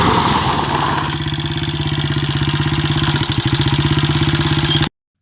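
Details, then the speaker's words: 1993 Honda XR80R single idling: a sharp tick on every firing stroke, about three a second, from valve lash. Rocker arms and camshaft were loose and worn after an oil port to the head was blocked with silicone; adjusting the lash didn't hold. "The engine was making a big ticking sound because of the valve lash. Even if I adjusted it, it came loose again shortly after."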